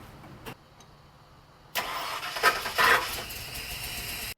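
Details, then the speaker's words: OBS-era Ford Bronco with a starting issue, after rewiring the starter cable to the hot side of the solenoid: the starter gives a harsh, gritty grind for over two seconds without catching, pinion not meshing cleanly with the ring gear. "It did a little grindy grind. Let's see what it does."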